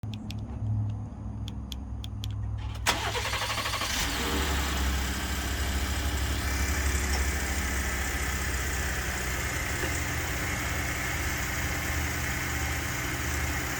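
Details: 2019 Ford F-150 3.5 EcoBoost with the 21B10 done and the 21N03 field action pending: a few quiet clicks, then a cold start with a brief harsh clatter settling into idle. Suspected cam phaser rattle.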